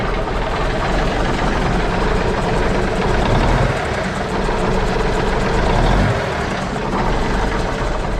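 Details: Cabover diesel truck idling after a starter change and replacement of one-year-old batteries that wouldn't hold a charge: steady, even low rumble with no knocks or misses. Charging still seemed weak.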